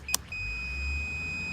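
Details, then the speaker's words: Meter on compressor common-to-ground gives a click then a steady high continuity tone; old Weather King unit, three-pole contactor with 24 V, megger reads zero at 500 megohms: compressor winding dead shorted to ground, compressor is gone. "it's grounded that that is a dead short to ground yeah let's put it on continuity"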